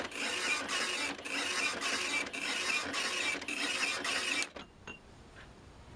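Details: OKI ML321 Elite dot matrix printer, almost 30 years old, after fitting a refurbished roller/platen: even rasping print-head passes, about two a second, with regular pauses for line feeds, then quiet; printing normally, line spacing now correct.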